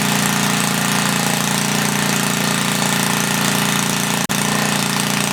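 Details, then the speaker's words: 1976 Briggs & Stratton 3 hp on Tilly rototiller, freshly cleaned carburetor, very loud muffler: loud, raspy single-cylinder bark with uneven firing and a brief dropout; running rich, main jet then leaned out. "we're running all right i just had to lean it out a little bit on the main jet also get a muffler huh"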